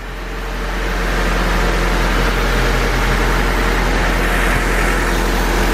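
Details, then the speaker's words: Honda Civic with a freshly rebuilt engine, just after valve lash adjustment: steady, even fast idle around 1000 rpm with only a soft, quick typewriter-like valve tick; very quiet; idle and timing not yet set; normal idle. "and quiet clickety-clack like a typewriter alright so we got the valves adjusted that's good it sounds really good it sounds like typewriter it's probably the quietest running honda i've ever heard"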